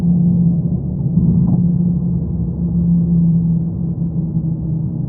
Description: A neutral and amplified recording of a droning noise from my 2015 Mazda 3 sedan.